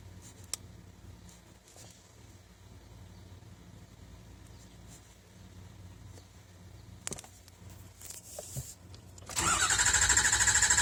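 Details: 6.0 engine, no-start: quiet, then the starter cranks with a steady even whirr but the engine never catches or clatters.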